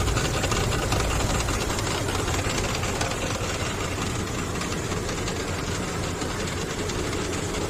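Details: Infiniti QX56 idling with knock under the hood, persisted after power steering pump replacement: light rapid metallic tapping over a steady idle from the belt side; worn belt tensioner knocking.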